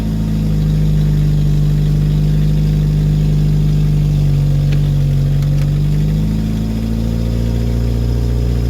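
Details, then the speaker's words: Woodgas-fueled Chevrolet Cavalier after fixing PVC piping leaks, warming up: steady low drone with smooth rise and fall on throttle, no missing or popping; running clean, normal revving. "okay you can hear it's running i'm letting it warm up a little bit got a little bit of throttle put into it there we go"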